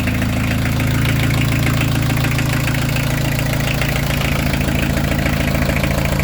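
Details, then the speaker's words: Peugeot 205 TD diesel, forged and prepared, after 1,200 km running-in service, oil-bath modified PES injection pump, just started cold after preheat: even rapid clatter about three knocks a second over steady drone; normal cold clatter, no oil leak. "Hein, ah, ça claque un peu parce que c'est froid, c'est normal."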